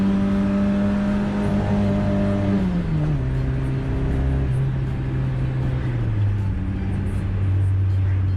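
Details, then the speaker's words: Cheap car run on WD-40 in place of engine oil, accelerating from traffic lights after about 20 km: engine pulls smoothly through the gears, pitch dropping at each shift, slightly stifled, no knocking under load; normal acceleration. "all good don't worry nothing new in the engine sounds it gets stifled a little"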